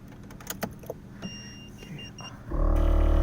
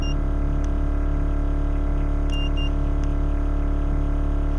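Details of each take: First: Air suspension compressor (Vera Air Elite management, D2 air struts) on a 2JZ-swapped Rocket Bunny 240SX kicks on after a replacement controller was installed; steady electric motor buzz and hum starts abruptly and runs evenly, a normal start. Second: Air suspension compressor (Vera Air Elite management, D2 air struts) on a 2JZ-swapped Rocket Bunny 240SX runs long with a steady drone and a few beeps while filling the bags toward 70 each, seeming to struggle to reach it; cause unconfirmed.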